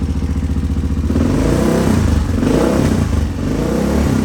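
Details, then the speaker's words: 1986 Honda XR628R dual-carb, needle clip one step leaner than stock: single thumping at low revs, then rough popping rise above quarter to half throttle; owner suspects lean, secondary carb suspected. "That's just a quarter throttle. It still breaks up pretty bad when you go above quarter or half. Popping. I don't like that. That tells me it's lean."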